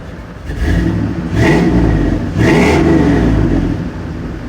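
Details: 5.3 V8 Chevrolet Suburban in January 2018: uneven idle, two quick rev blips, then a lumpy idle; intake gaskets, knock sensors, throttle body, intake and MAF replaced without a fix; owner suspects dirty injectors, fuel or fuel pump.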